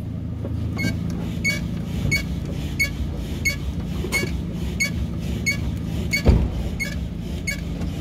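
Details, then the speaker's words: Gray Toyota Hilux with its body rocked by hand: sharp rhythmic ticking about 1.5 times a second from a worn upper shock absorber bushing, which is to be replaced. "Esse barulhinho, moçada, é na bucha do amortecedor superior."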